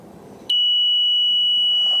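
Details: Rapid Response adjustable boat engine overheat alarm, sensor probe removed from the intake raw-water pump area and warmed to test it: after a quiet half second, a loud, steady, high-pitched alarm tone sounds within a few degrees of rise.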